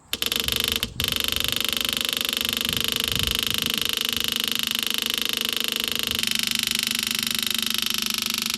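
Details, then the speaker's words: 1968 Chevelle with a swapped-in used small-block Chevy V8, first fuel-up to the carburetor from about half a gallon of gas; fuel pump rattling buzz drops in tone and quietens at about six seconds as fuel arrives, pumping normally. "There we go. Pump changed tone. It's definitely pumping fuel now. See how it got super quiet?"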